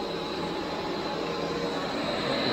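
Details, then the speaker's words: Underground mine single stage impeller water pump motor on a VFD ramping from 34 Hz, levelling off at 51 Hz; smooth steady hum with clear high tone building in level, normal start. "We're climbing. Ramping up. 50 hertz. Leveled off at 51."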